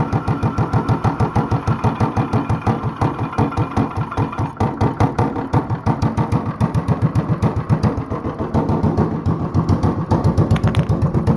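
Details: Honda clone single with stage 1 kit, header, 10-pound cast iron flywheel and low-rpm cam work, idled very low (around 500 rpm or below) under light load: separate evenly spaced thumps about five a second, flywheel carrying between firings; hit-and-miss-like slow idle.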